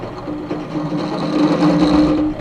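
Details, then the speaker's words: Drill press cutting with a bit used past its prime during an RC hydroplane boat build: steady hum with buzzing vibration; the bit is chattering instead of cutting smoothly. "can you hear it it's actually chattering so that it's it's not doing a nice smooth cut"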